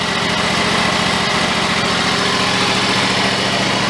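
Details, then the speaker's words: John Deere riding mower after cleaning and reassembly, previously surging and stalling after 10 minutes: steady, even low idle with no hunting. "good trying to turn the idle speed down but that's probably low as it wants to go but it's not hunting"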